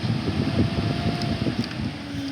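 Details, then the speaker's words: Radiator cooling fan motor on an overheating car, powered directly with a power probe with the relay/resistor harness bypassed: a steady, even whirring hum with no scraping or ticking. Fan works normally. "if you get power directly to the fan it should turn on sorry i'm making bad connection here but there it goes"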